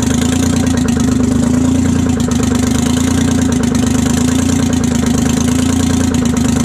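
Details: 1968 Detroit Diesel 3-53T three-cylinder two-stroke after total overhaul, stone cold (engine about 4.5°C/40°F, outside -3°C): steady, even drone with constant rhythm, no misses or knocks; good oil pressure, no leaks; clean idle.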